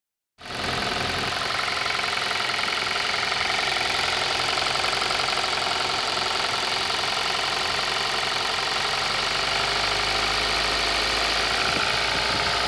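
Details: 2018 Kia Rio at idle: sharp busy clatter over the engine, about four knocks a second, steady throughout; engine knock, source not identified.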